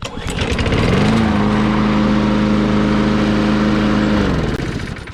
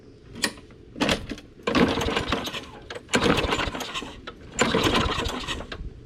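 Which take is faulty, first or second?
second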